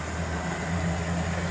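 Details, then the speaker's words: Proto 2000 model locomotive running forwards: steady low buzzing hum louder than expected for a Proto 2000; owner suspects it needs cleaning, lube and running in; still runs nicely. "actually quite noisy for a Proto 2000 need a bit of a cleaning lube and a bit of a run cuz I've had protos much quieter than that one"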